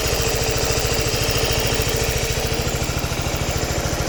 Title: Suzuki Burgman Ticking noise